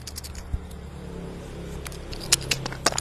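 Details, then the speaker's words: One-door refrigerator whose light works but which does not cool: the removed compressor start relay gives a dry, sandy rattle of loose bits inside when shaken, which by this shake test means a 90% chance the relay is broken. "Nah kalau bunyinya ada pasir di dalam kalau bunyinya ada pasir di dalam se ini itu 90% relay ini rusak Bang"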